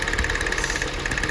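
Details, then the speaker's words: Rapid sharp snapping ticks over uneven idle as spark leaks from the plug lead to the engine block instead of entering the plug, misfiring that cylinder. "uma parte entra na vela e a outra dá nas lateral ó ó tá vendo Dá dá centelha para todos os lados"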